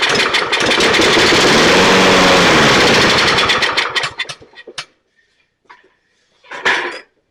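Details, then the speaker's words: Toro 22 in Recycler self-propelled mower, pull start previously locked up, crankcase overfull of oil: engine fires in a quick even buzz for about four seconds on sprayed starting fluid, then sputters and dies; carburettor isn't supplying fuel. "okay so let me tilt this back so the good news is it runs the bad news is it's not getting fuel unless I spray stuff into it"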